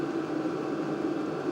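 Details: LDHTHOPI diesel heater bench-tested in a shop, at max temperature: steady, even fan whoosh with a soft constant hum, fuel pump clicking; outlet air reading about 203°F and climbing. Normal running.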